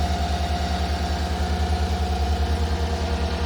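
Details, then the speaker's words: 2018 Chevrolet Suburban V8 started on a weak battery during a head gasket replacement job: rapid rhythmic low puffing chuffing at idle, check engine light on right away — exhaust leak. "I have an exhaust leak just like I expected."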